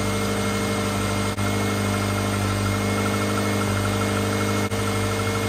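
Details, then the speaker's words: 2007 Subaru Impreza after a no-start, ignition coil replaced (crank and cam sensors checked): even, settled idle with a steady low hum, no stumble or misfire; normal idle. "well that's all it was boy that was an easy fix well hopefully that's it sounds good"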